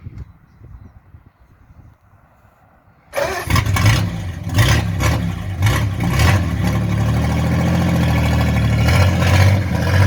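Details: 1940s Hudson with a big side-valve (flathead) engine, before its exhaust was welded. It catches after a quiet pause and runs loud and raspy with uneven puffing once or twice a second, pointing to a leaking exhaust.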